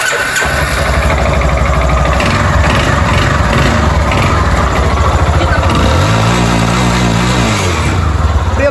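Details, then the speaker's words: Yamaha Fazer 250 motorcycle engine at idle and a brief rev: loud, rattly, hollow metallic clatter from the cylinder. The owner plans to replace the cylinder kit; the piston skirt is slapping. "tá fazendo um barulho terrível he dis que vai trocar porque tá batendo saia certo"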